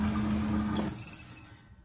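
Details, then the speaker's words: Hotpoint 1012 vintage spin dryer: the motor hum cuts out and a high, wavering squeal rises as the lid opens, fading within a second. This is the drum brake working normally. "There's a break on that. You can tell straight away whenever I open the top, it's breaking. You hear that wee wee wee noise as a break."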